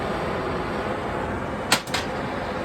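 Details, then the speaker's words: Cutting torch, operator a novice with this torch: steady loud hiss of acetylene rushing from the tip with a couple of brief pops, flow still too strong despite being turned way down. "I don't know if you can hear that or not, but I hear that acetylene rushing out pretty hard."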